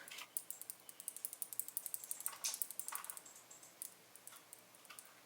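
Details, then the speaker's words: Speedcube (V9): quick light plastic clicks from the yellow-blue-orange corner's orange-sticker magnet rattling in its slot, too little glue holding it during turning. "看到磁铁会在磁铁槽内晃动并发出声音。这个磁铁槽由于胶水不够多，导致磁铁粘的不够牢固，在魔方的转动过程中就会发生异响。"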